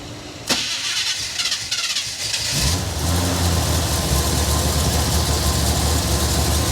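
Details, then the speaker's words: 1970 Chevy Blazer, first start after being abandoned, fuel pump not pumping; starter cranks, V8 catches into a steady low idle and is shut off quickly: engine runs briefly on temporary fuel supply. "I wish that fuel pump there it goes woo turn it off quick quick quick"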